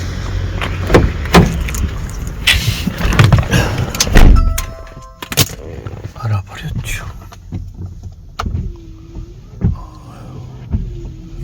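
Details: Car windshield wipers after removing a part left on the new blades that was causing poor wiping and noise: wipers now sweep smoothly with only a soft motor hum and light swish, no squeal or chatter.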